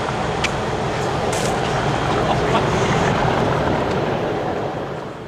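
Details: Class 37 locomotive 37261 dragging failed Class 66 66302 passing Stafford: heavy rough roar with uneven fast pulsing throughout, massive abnormal noise, source unknown.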